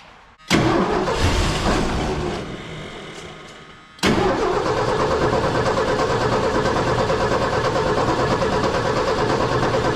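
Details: 1979 Ford F100, 300 straight six, parked since 1992, first start since then: Holley 390 four-barrel carb, Offenhauser dual-port intake, new Hedman headers burning off heavy smoke, cooling system on plain water. Engine catches, sags and dies, restarts and holds an even idle; idling pretty good.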